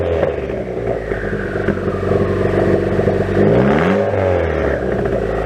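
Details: Car with new downpipe, flex pipe and resonator-style test pipe fitted to cut exhaust drone, tips not yet fitted; one clean blip climbing and falling, smooth even exhaust note, no rattles or drone – normal revving.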